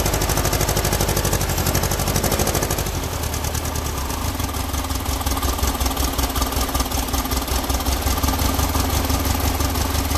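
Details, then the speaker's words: Freshly built air-cooled Volkswagen flat-four on first start-up, with oil pressure confirmed: lumpy, uneven chuffing at idle with a shaky irregular beat; the carburetors are well out of adjustment and need tuning. "what I would do at this particular point now is start tuning the Carver's as you can hear by the way it's running that it's that they're way off"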